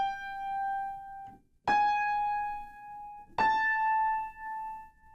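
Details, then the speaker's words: Piano unison out of tune: three struck notes ring with a quick wah-wah wobble in loudness; that note's strings are more out of tune than surrounding notes, so the beating wave is faster. "So, that note is more out of tune than surrounding notes and that's why the wave is faster because sound is just how many vibrations per second."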